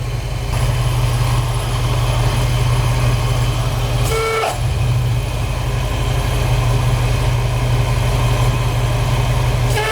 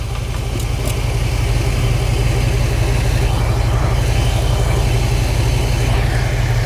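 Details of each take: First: AC compressor seizing: with AC on at idle, clutch engaged, a heavy droning growl sits under the engine note; compressor pulley got very hot, risking fire and serpentine belt damage, so engine shut off; new AC compressor to be ordered. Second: Car running with air conditioning off, A/C compressor clutch not engaged, pulley spinning freely: smooth, steady low idle with no whine, grind or squeal from the front; normal, checked because a seized pulley had nearly caused a fire.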